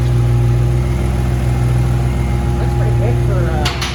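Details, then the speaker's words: Nissan G35 with built engine and turbo kit, first start after fitting iridium plugs two steps colder: strong low idle drone with a loose, uneven metallic chatter riding on it; flywheel rattle at idle. "you can hear the [ __ ] collection flywheel that's for sure dude that sounds insane"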